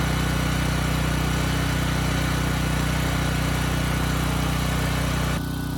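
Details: Briggs & Stratton Elite Series generator (model 030471-01) after repositioning the oversensitive governor spring and backing off the speed adjustment screw: even, unwavering drone at constant speed with no surge; governor steady.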